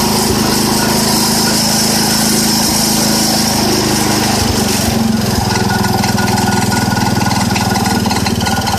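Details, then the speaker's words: 1970 IH Cub Cadet 127 small single-cylinder engine at raised rpm with PTO engaged: steady whirring drive noise over the engine; slight PTO noise, cause not identified. "okay so I'm gonna turn the ignition key s you could hear a little a little bit of Noise with that PTL"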